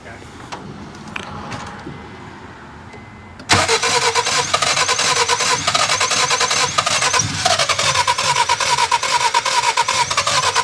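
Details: Cheap project car after cleaning and reassembly, coils checked: starter cranks the engine in a quick, steady rhythm for several seconds but it never fires; crank no start, owner suspects something not hooked up properly.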